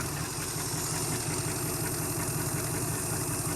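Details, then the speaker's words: 1971 Chrysler eight-door airport car idling with no coolant after an epoxy block-crack repair: steady even idle with smooth low rumble, no knocks or misses; runs good, not leaking. "Fart up. Oh, runs good. Wow, that went much better than expected."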